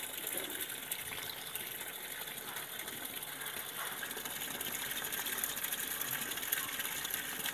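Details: Sanyo washing machine with no clock display: constant hissing gush of water that never shuts off, tub nearly full but no washing; the fill keeps running, traced to a failed water-level pressure sensor.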